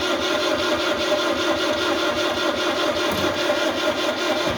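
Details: 1974 Citroën DS21 not run for over six years. With spark now confirmed, the starter churns at about two and a half beats a second but it never catches. Next, fuel is checked and found present.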